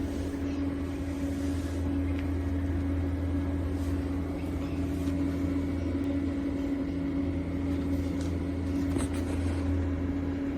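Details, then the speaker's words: Vintage IBM Model 55 SX powering on: a steady low hum with a constant mid-pitched fan tone that never wavers, so the fan runs normally, but there is no video output; a video card fault is one suspected possibility. "So this IBM model 55 SX turns on. You can hear it, you can hear the fan, but there's no video."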